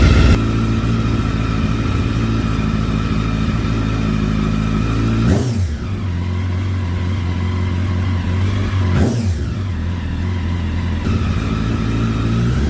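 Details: 2009 Honda Fireblade CBR1000RR four-cylinder, freshly started after sitting outside in an auction lot a long time: blips up and drops back unevenly, idle wavering between revs; rough running after storage, cause not confirmed.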